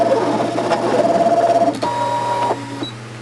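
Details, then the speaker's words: Brother ScanNCut cutting machine with an old, used standard OEM blade, settings unchanged, cutting cleanly with short stepping-motor buzzes as the carriage moves and no snags; a new non-OEM blade had only chewed the material. "okay here's my dirty old everyday standard blade it's not new and it's doing a very good job"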